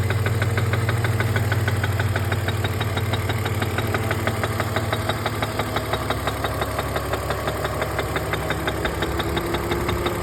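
A quick, fairly even tapping rides on top of a smooth idle hum, an engine tick or knock at idle.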